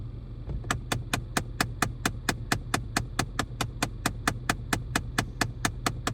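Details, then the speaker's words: 2013 Chrysler 200: sharp, even clicks about two per second from behind the glove box, stopping after about 60 clicks. A failing HVAC vent/blend door actuator motor is suspected, and the actuator was replaced. "it stops after about 60 clicks um it's definitely coming behind the glove box it's probably one of those little servos that opens and closes the doors in the uh vent system"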